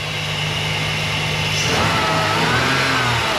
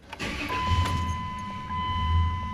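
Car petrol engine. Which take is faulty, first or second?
second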